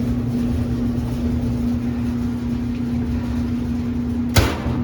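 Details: Whirlpool electric dryer model LER4634PQ0 after replacing the thermal fuse (WP3392519) for a won't-start fault. A steady low motor hum with soft drum rumble and one brief thump from the load. Runs evenly, normal running.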